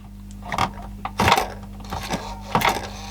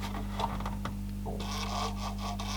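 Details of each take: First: Panasonic RX-DS520 boombox (around 1996) with a suspected faulty CD player, disc inserted: irregular whirring and clicking bursts over a steady hum, louder than expected, as the drive hunts without reading the disc; cause not confirmed. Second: Panasonic RX-DS520 boombox (about 1996) being repaired for a CD not reading, powered in CD mode: faint quick ticks and a soft whirr as the lens centers and moves up and down, over mains hum. Normal CD focus search.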